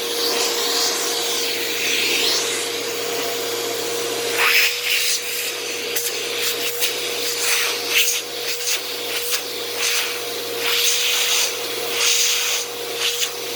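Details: Eureka SmartVac 4870 upright vacuum, repaired from two broken machines, running on high carpet setting: steady airflow whoosh, even motor tone, brush-roll scrubbing; motor has a long wind-down and belt slips slightly, likely needing replacement soon, otherwise runs normally.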